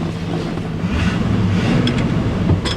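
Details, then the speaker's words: 1984 Chevy C20 Silverado with an Edelbrock carburetor, after fuel system repairs, recorded in the cab with the window cracked after a test drive: low, even V8 burble at idle under wind hiss, no stumble or knock; a slight stumble remains while driving. "oh yeah listen how smooth and in the cab it is so smooth in here mhm isn't that beautiful"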